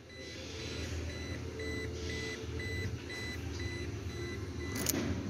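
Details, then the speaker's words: Toyota Hilux with engine idling, key-reminder beep restored after fixing earth connection: steady high beeps about twice a second; normal door-open key warning working. "okay it's now working the beeping sound"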